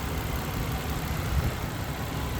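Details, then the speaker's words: 1998 Nissan Skyline R34 GTT, SR engine, about 38,325 km, all original, warmed up for a while, phone held close: smooth, even low idle with steady rumble and normal valve tick, no knocking; healthy engine. "We are good here. I mean, it's quiet, really quiet."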